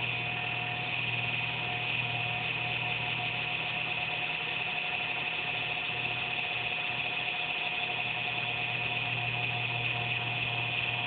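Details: Computer under a desk makes an intermittent buzz randomly, once or twice a day, with speed and performance unaffected; steady high-pitched constant-tone buzz; owner suspects a fan, unsure.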